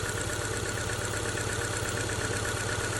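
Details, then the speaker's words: Older Subaru Outback with a flashing check engine light and code P0301, idling with a stumbling beat of about three uneven pulses a second; cylinder one misfire from a weak coil that will not jump a gap and bad plug wires. "we got a weak coil and a bad set of plug wires."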